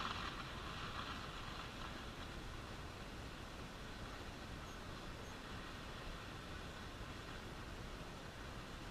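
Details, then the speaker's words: Arvin 402A tube radio after replacing a suspected defective 50L6 tube, brought up slowly on reduced line voltage (about 55 V, DC about 25 V): steady hiss and crackle with low rumble, no station, volume control has no effect; static noise, cause unconfirmed. "yeah you know my volume control is not making any difference at all in all this noise I'm hearing"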